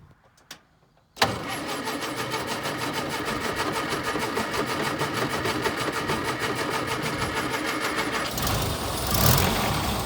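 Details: Metro from a bone yard, sitting unstarted for about 4–6 months, cold start on a 20°F February day after hand-priming the fuel pump and reattaching a loose battery cable: after a couple of clicks it fires at once and holds a smooth, steady idle; healthy cold start.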